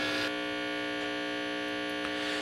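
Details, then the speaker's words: Unlabeled 1960s 6-inch student tube combo amp giving a loud, steady buzzing hum: a ground fault with about 14 volts between the common ground and the chassis ground, caused by poor grounding. "okay obviously this thing is very noisy um I'm certain you can hear that and this is turning out to be uh very much like another video that I just shot uh where we showed the importance of good grounding"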